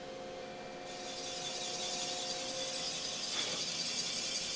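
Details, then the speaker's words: Ford 289 small-block that sat in a junkyard 40+ years, rough boring to 4.015 at 420 rpm spindle speed: a steady, even cutting hiss with a faint ring and no chatter. It is a normal, clean cut, and the spindle is then raised to 500 rpm. "Sounds good. Looks good. I think we could speed up our spindle."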